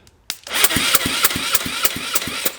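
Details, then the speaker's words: GY6-type Chinese scooter/kart engine cranked via starter solenoid with finger over spark plug hole (no compression tester); strong, even pulses about three per second, each stroke pushing back equally; good compression. "it's got compression good compression"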